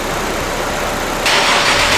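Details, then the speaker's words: Honda S2000 at idle with the AC blasting, after replacing the AC system and the blown 20 A under-hood fuse 58. An audible click and a step up in hiss and load as the compressor clutch engages normally. "so now we're going to turn the car on and see blast the ac you hear that click yeah i did that's the ac compressor kicking off"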